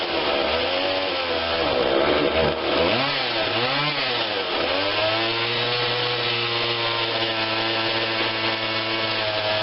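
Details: Husqvarna 142 40cc chainsaw, start on choke only (no primer bulb), before carb tweak: two-stroke idle wavers and dips in pitch early, stumbling slightly before settling steadier; rough idle, mixture to be adjusted.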